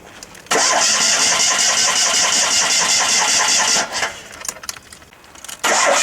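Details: Fiat 126 that sat unused for a long time, cold December morning start attempt: long even rhythmic cranking that never catches, a pause, then cranking again; prolonged cranking, no start.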